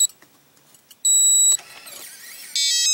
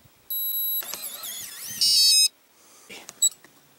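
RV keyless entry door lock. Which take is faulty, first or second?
first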